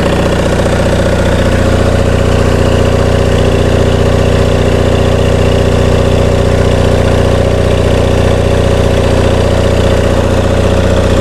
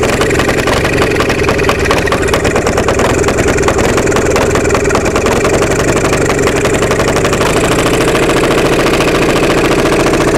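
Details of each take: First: Onan MDJE twin-cylinder diesel genset on a temporary cooling system, generator producing only 9–10 V residual: an even clatter at a settled idle with no misses or knocks; a healthy engine. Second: Onan MDJE two-cylinder diesel generator just started on glow plugs after about one minute, weak starter: uneven chuffing beat that stumbles, not firing cleanly on both cylinders; air suspected in fuel from the suction line in a bucket.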